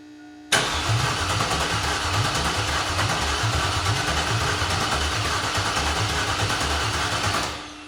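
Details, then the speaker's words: Chevy Silverado (01) with swapped-in 5.3 LS V8 from a 2000/2001 Tahoe, startup, one plug wire mouse-chewed and missing; loud open-pipe engine runs rough with an uneven stumbling beat: single-cylinder misfire, dead cylinder with no spark. "so apparently the ls is you got to have all eight spark plug wires who knew"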